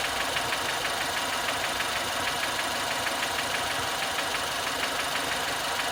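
Over a steady idle there is a light, sharp knock about three times a second, keeping time with the engine; the source is not yet known.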